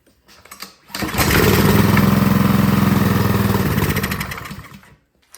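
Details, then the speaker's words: Ryobi 3300 PSI pressure washer, Honda GCV190 engine, sat years with gas in it: with starting fluid it catches, runs rough about three seconds, then dies; stale fuel, suspected clogged carburetor. "Next, I'm just gonna choke us off. I'm gonna spray some starting fluid in there and see if it'll pop off that way."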